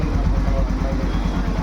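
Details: Yamaha FZ version 2 after repair of morning no-start, stalling and blinking sensor light: single-cylinder idles with steady, even low thump, no misses or knocks; normal idle.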